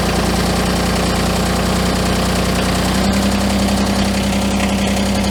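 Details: Kubota BX23S tractor diesel, new off the truck from the Georgia factory, likely still on summer fuel, at about -30°C after a -40°C night: glowed 30 seconds then fired up, steady even clatter at idle, normal cold start.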